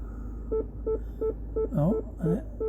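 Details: Mini Cooper Clubman (R55) PDC parking sensors in reverse, after replacing one sensor: steady beeps about three per second, then tone breaks into sweeping glitches and cuts out; rear left sensor still faulty, code remains, needs replacing.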